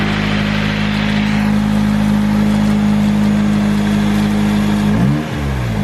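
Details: Nissan 240SX S13 with a turbo SR20DET and a newly installed 3-inch EMUSA eBay catback, now fully bolted down: steady, even idle hum with a clean rev blip near the end; no puffing or ticking, so the exhaust is sealed and healthy.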